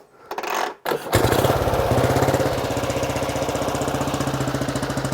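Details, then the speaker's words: 1935 BSA Blue Star 499cc single, freshly restored, cold oil, no choke, full advance: fires after a couple of kicks into an even single-cylinder thump; starts really well, healthy cold idle. "Starts really well."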